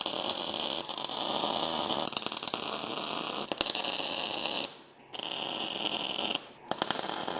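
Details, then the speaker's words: Lincoln Electric SpeedTech 215C MIG welder tack-welding weldable table brackets and jigs into a cube: short crackling bursts, each cut off cleanly by silent gaps; steady, normal MIG spot/tack welds. "So this is just spot welding to be able to keep them together. A little spot weld in each one. So just a quick little dab on the trigger and hopefully it'll"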